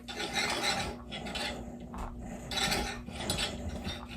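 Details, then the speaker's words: DIY cable row using a Home Depot hardware-store pulley set at an angle: a rough scraping grind comes in bursts with each pull and eases between strokes. The misaligned cable is grinding the pulley, and this grinding made the previous pulley fail. "Again, the Home Depot pulley, and I've got this kind of at an angle. I don't really like this angle because it still grinds the pulley a little bit."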